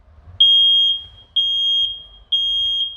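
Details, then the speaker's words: Smoke detector on adapter power, smoke test: no response to light smoke, alarms on dense smoke; three loud shrill half-second beeps about once a second, working properly. "yani böyle e yoğun duman olacak ki çalışsın güzel çalışıyor başarılı"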